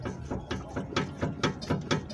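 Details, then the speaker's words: 2010 Kia Cerato (built 2009), filmed from underneath while the car is rocked: rapid rattling clunks about four a second that stop when the sway bar link is held by hand, confirming play in a worn sway bar link, which was replaced. "agora eu coloco a mão o barulho para então a folga é essa folga aqui mesmo tá confirmado"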